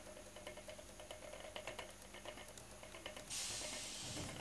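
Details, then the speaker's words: Prius motor on test rig run on BLDC commutation, transitioning reduced after rising current and temperature: soft slightly uneven ticking about three per second under steady hiss, each click one of six steps per electrical rotation; normal commutation at very low speed. "so there we go so that's that's latching right it's basically each each click that you can hear is one step so there's six steps to an electrical rotation"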